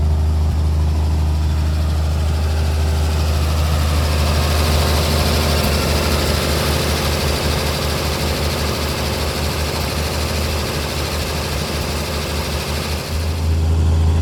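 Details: 1950 Chevrolet 4400 dump truck being revived after years of sitting, idling shortly after cold start on choke: deep even low rumble with smooth unchanging beat, no knocks or misses; normal idle.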